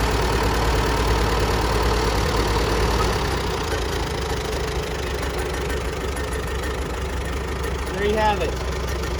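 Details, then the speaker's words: Grandpa's old tractor, sat about 20 years, magneto rebuilt, started on electric starter after hand crank failed: steady, fairly even low thumping about three beats a second, no knocks or misses; normal idle. "it won't start with the hand crank it did admit but it starts up dang diggity nice with the old electric starter"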